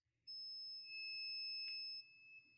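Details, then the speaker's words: Dead Mobicel tablet, multimeter continuity test across battery connector plus and minus: steady high beep about two seconds, meaning the main 5 V power line is shorted to ground; MT6323GA power management IC suspected. "Plus and minus. You hear it's beeping. That means we have short to ground. We have short to ground. That's what it means."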